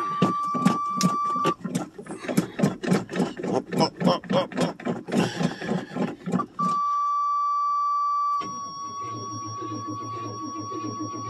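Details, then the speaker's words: 1985 Chevrolet Suburban, cold start in snow after a month or more sitting: sluggish cranking about three and a half turns a second with warning buzzer droning; battery too weak, later replaced with another battery. "buzzer my batter don't sound very good uhoh well better is going to hold"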